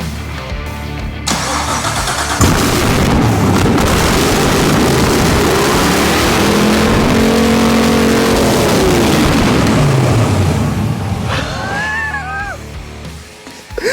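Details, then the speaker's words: BMW 635CSi E24 with a 6.2L Gen V LT1 swap just after first start, no exhaust: a very loud open-pipe V8 barely holding idle, surging and stumbling with uneven firing. Rough idle; owner suspects an intake air leak, tuning still pending. "it's struggling to idle but it's doing it"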